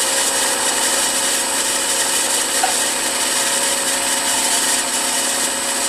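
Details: Milling machine M head after new pulley-housing bearings, VFD at 60 Hz full speed on highest pulley speed: steady even hiss-like whir, no knocking or grinding; spindle housing runs quiet and healthy, motor noise to be addressed next.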